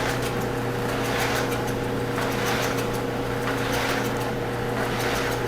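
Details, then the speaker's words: Whirlpool dryer after the broken drum support roller was replaced and the belt refitted over the motor pulley, drum spun to test before reassembly: a steady, smooth low hum and light tumbling swish with no rumble. The drum spins normally. "It's good to get rid of that noise. Spinning smoothly now."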